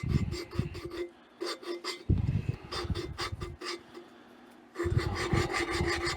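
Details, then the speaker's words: Waterloo Boy 5 hp engine valve lapped by twisting and oscillating with compound: gritty rasping about four strokes a second as grains crush, signalling the seat is nearing a fine finish. "And you can hear that compound. You can hear the granulars the grains get crushed. That's when you know you're getting down to a pretty fine finish."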